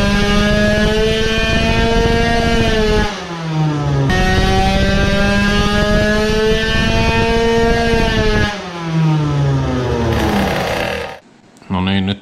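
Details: Tuned two-stroke moped on a brake dyno with airbox removed, after carburetor float repair and before porting: steady high wail under load twice drops sharply in pitch then climbs back as the drive slips again.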